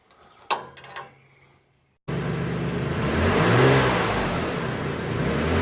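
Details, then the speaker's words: 2004 Toyota Sienna AWD after replacing the broken front exhaust flex pipe: engine settles into a smooth, even run with no rattle or leak. Normal exhaust note, much better than the loud pre-repair sound. "Well, it's all wrapped up. Sounds much better than it did before."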